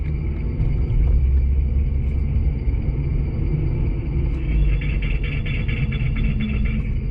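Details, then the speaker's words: 2006 Nissan Altima with thumping brake pedal, heard via chassis ear channel on rear passenger side: steady low rumble with pulsing thump once per wheel rotation; warped rear rotor with raised hard spot on casting, other rear rotor likely also bad. "Sounds like both the rear brakes have problems."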